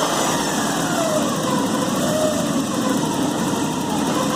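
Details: 1986 Porsche 944 NA at idle: light busy metallic rattle with a faint whine over steady idle; engine rattle, source not pinned down.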